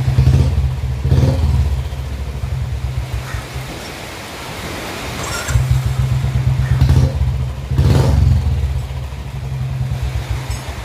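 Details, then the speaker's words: Royal Enfield Bullet 350 BS4 that had a misfiring (missing) problem, after fitting the blue BS3-type part (transcribed as CDI). An even, deep single-cylinder thump at about four beats a second with clean throttle blips and no skips. The misfire is gone. "है तो आपने देखा BSP वाली सीधे लगाने से गाड़ी में क्या अंतर है एकदम गाड़ी पर सेट हो गई कोई भी मिशन नहीं गए"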